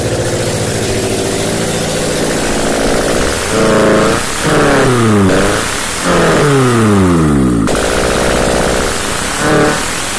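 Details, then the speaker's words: First start after a blown head gasket repair: a loud car engine idles, then revs up and down in several quick throttle blips, running evenly with no oil light, sounding normal. "um this is the first start after I fixed my head gaskets of oil I have water everything is connected so I hope starts"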